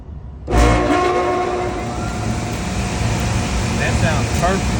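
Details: York package unit evaporator blower motor, newly replaced after a noise complaint, checked for correct rotation: kicks on and settles into a steady, even rush of air with a smooth hum, no scraping or rattle; blower runs healthy.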